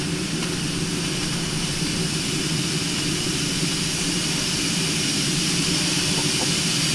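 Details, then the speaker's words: New vertical test boiler, pressure above 140 psi, main safety valve set around 150: loud continuous steady roaring hiss as the main valve lifts fully and blows off steam. "There she goes. That's the main one. Let it go off. Really go off."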